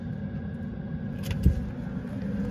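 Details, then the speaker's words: Renault Master diesel night (parking) heater running: a low steady rumble with a faint constant whirr. It is rather noisy but normal, and the ticking is the heater's fuel pump. "that they are rather noisy but you're not ticking there that's the fuel pump for the night heater"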